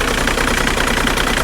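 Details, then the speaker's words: 2003 VW Jetta TDI diesel with 200,000 miles, warm at 190° operating temperature: uneven, lumpy idle with faint knocking pulses, a mild rough idle, much better than before, no leaks; cause not pinned down. "we are up to operating temperature as you can see right there we're sitting right at 190 and it's idling a tad bit rough"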